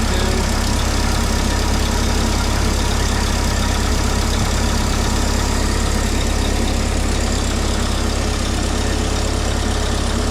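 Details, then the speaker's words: Mini forklift engine, propane-fuelled, just restarted after throttle linkage work, coolant flow being checked: holds a fast, steady idle with a low thrum that never settles down; idling a little high. "Thing sounds nice, man. It's idling a little high."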